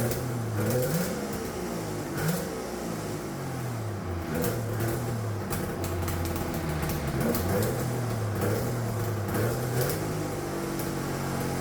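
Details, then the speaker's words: Turbocharged two-stroke triple on custom EFI (Spartan 2.0 ECU), no water in it, after fixing a vacuum leak: held against the limiter with choppy stuttering bursts, pitch swinging; two-step launch rev limiter working. "that sounded freaking sweet all righty guys well I'm G to end the video here this took forever to get out but uh you guys heard the two-step as as promised"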